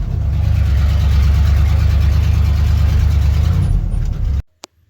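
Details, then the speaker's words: Truck after 20 years sitting, restarting on fresh battery cables: deep, even V8 rumble at steady speed with no misses or knocks until switched off; runs healthy. "You just gotta listen to how this thing restarts. You wouldn't even know that it's been sitting for 20 years."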